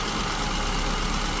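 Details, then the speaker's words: SU-carburettor car at idle after richening the mixture from lean: smooth, even idle with a steady beat and no hunting, misses or lumpiness; back to best baseline idle speed, safe wideband fueling and about 15 inches of stabilized vacuum. "Okay, so this seems like, again, we're back to the sort of baseline idle speed. The mixture that gives us the best idle speed."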